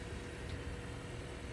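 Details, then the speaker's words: 2023 Honda Accord Touring Hybrid while driving: steady low engine drone with road rumble, louder than owner expects from a hybrid; normal petrol engine under acceleration. "sometimes it makes a lot more noise that I would expect it to be as a hybrid like you hear it right now"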